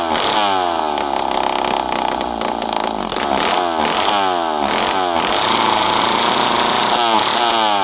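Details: Poulan 5200 Counter Vibe chainsaw, first run in 5-6 years, on the bench after carburetor screws were set around half to 1.5 turns, with no muffler. A loud, raspy scream through repeated rev swells, free-revving cleanly and dropping back each time. Normal running.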